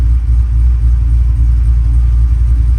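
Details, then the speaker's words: Truck on jack stands with a newly installed Tremec TKX replacing a failed T5, in first gear with the wheels spinning: deep, even drivetrain rumble with no knocks, clunks or grinding. Gearbox sounds healthy. "But clutch in, goes into gear smooth, no grinding. Try out first gear. Yep, and I can feel it."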